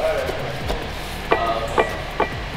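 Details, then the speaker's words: 2011 BMW E92 M3 driveshaft rocked by hand: sharp metallic "cowbell" clunks from a worn center support bearing with excessive up-down play, the support probably separating at the bottom. "um but even like right here this is just my weight on here you're just supposed to move that much it shouldn't move this much and you hear the noise oh"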